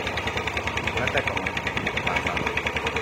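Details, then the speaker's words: Yamaha Aerox 155 with error codes 12 and 46 (charging fault), dead battery: with the charging relay fitted, fast idle with uneven crackling, popping and hissy top end; with the relay pulled, idle is normal and smooth. "ketika kita cabut relay pengisian ya Dia normal D Normal langsamnya itu enak ketika kita pasang kita pasang relay pengisian ya Nah ini yang tengah itu ilaihi ya kaki lima kaki lima itu relay pengisian akibat pasang lagi nah kembali bunyi"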